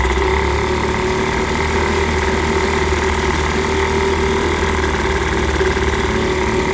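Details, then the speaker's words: 1946 Elgin 1.25 hp single-cylinder outboard in a test tank after a fuel-system overhaul and carburetor tuning, probably over-propped: steady, even buzz with no misses or surging. Normal running. "it started up and seemed to run pretty good once I got the carburetor adjusted it's pretty touchy but I got it dialed in it seems to be doing okay"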